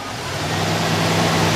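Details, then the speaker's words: 1979 Ford F-150 4x4 with rebuilt 460 V8, MSD ignition, electric fans, 3-speed automatic, recently steam cleaned and sat a while: thin steady squeal over engine at start-up as revs rise; belt squeal, possibly from steam cleaning. "well go ahead and fire it up for you belt squeal there"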